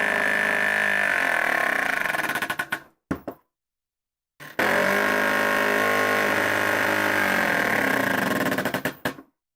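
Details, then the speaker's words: Prusa MMU2S clone on Voron Switchwire under Klipper, homing ended with MMU not homed: buzzy stepper tones sliding in pitch with rough ticking about four times a second; drum noise, owner suspects motor skipping; stepper noise during homing. "yeah it's the it's this drum that's making all that noise I believe the the servo skit the servo the motor skipping"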